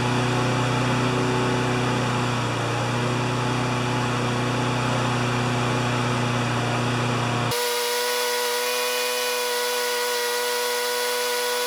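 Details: Honda GCV160 mower that ran either flat out near 6,000 rpm or at 2,000 rpm, after bending the governor arm: a steady high buzz with no surging at about 3,590–3,610 rpm by tach, though the uploader thinks max should be 3,100–3,200.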